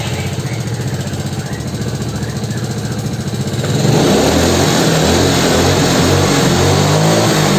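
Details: Yamaha Mio scooter after filter fitted: revs rise evenly from low through mid to high in one clean climb without surging or hesitation; timing part still worn, compression weak and white exhaust smoke noted.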